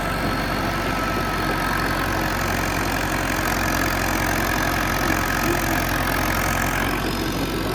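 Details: John Deere 450C bulldozer, warmed up after reassembly, relief valve pressure set and fluids topped off, backing out of the shop: steady, even diesel rumble with no knocks, misses or surges; engine running normally.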